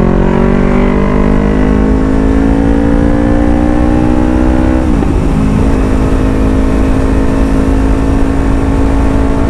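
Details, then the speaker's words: Yamaha Sniper 155 motorcycle with full-system exhaust after fitting a resonator pulls through the gears with a smooth, rounder exhaust note and no popping; the previously heavy backfire on throttle is gone, exhaust no longer overly loud. "laking improved mga amigo nahulat talaga yung kanyang backfire hindi yung kagaya nakaraan na grabe yung backfire niya"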